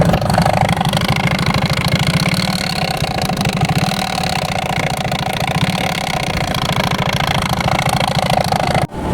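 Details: Motorcycle making a loud, steady, hard-pulsing roar under throttle that sounds wrong after a full-throttle run; the rider finds his jacket strap missing and suspects it was sucked in. Cause unconfirmed.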